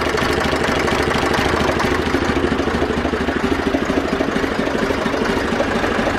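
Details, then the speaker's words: Zetor 4911 tractor diesel, restarted after sitting since 2012, coolant topped up with no leaks, still warming up: steady, even idle with a regular unhurried beat and no knocks or misses. Running sweetly; normal idle. "okay let's get a bit of heat into it but uh running sweetly"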